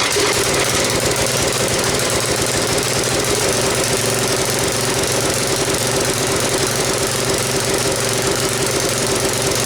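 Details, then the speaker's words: Briggs & Stratton tiller engine with a new, non-adjustable carburetor, smoking: runs ragged and hunting with uneven firing and a rattly knock; faulty carburetor, later fixed by swapping in a carburetor from another engine. "you guys seen and heard how it ran it's not running good so let's get that engine off of there put it up on the bench and see if we can just get the thing to run correctly at least hopefully"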